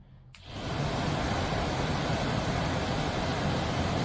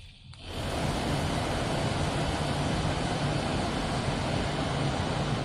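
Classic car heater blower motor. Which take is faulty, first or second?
first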